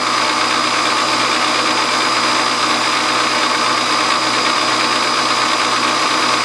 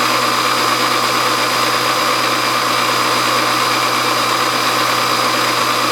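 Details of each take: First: Hobby milling machine spindle running: harsh buzzing rattle from loose drawbar inside spindle; runs quiet with drawbar removed; bushing fitted around drawbar. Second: Milling a brass governor weight bracket with the feed rate turned all the way down: a steady, even cutting hiss with a constant mid-pitched tone and no chatter or squeal. A normal, smooth cut.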